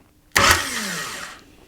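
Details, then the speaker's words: Jeep XJ TDI diesel swap, starter bumped with the adapter, flywheel and clutch fitted and the engine not fully connected: one crisp bump and a short whir with no grinding. Starter pinion engages normally. "Always good to double check things as you go, and that sounds really good to me."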